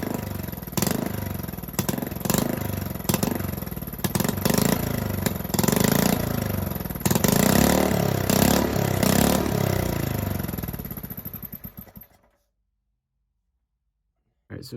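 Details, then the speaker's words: Honda 5.5 hp engine on a mini three-wheeler, rebuilt after three years outdoors with a new carburetor, coil and plug, also leaking oil: uneven, lumpy idle with stumbling and surging before it dies. Rough running, cause unconfirmed. "I can't get it to run any better I'll come out here tomorrow and see if I can get it um running it a little bit better"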